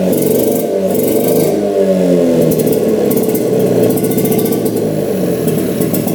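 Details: 1960s Hydro-Mite water-cooled mini jet boat engine after new spark plugs, restarted while adjusting the jet for idle, throttle cable not yet hooked up: catches and runs smooth, settling to a steady idle, no knocks or misses; healthy.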